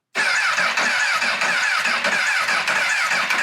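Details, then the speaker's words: Rebuilt wrecked 2006 Honda CBR1000RR on first start attempt: steady starter whir with even compression but no firing, a hollow crank. Lack of fuel suspected, possibly the fuel pump or start/stop switch wiring. "And just the way it's cranking, I can tell it's just not getting fuel. It sounds like it's getting everything else. It's just that hollow crank of no fuel."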